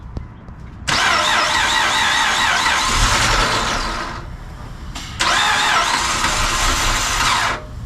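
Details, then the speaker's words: Chrysler 300 Limited 3.5L V6 with a junkyard replacement engine (original had a busted timing belt and valve contact), first start after the swap: starter cranks in two uneven bursts of about three seconds each but never catches. Owner says it doesn't sound like a good motor. "Okay, hold on a sec. It doesn't sound like a good motor to me. Try again."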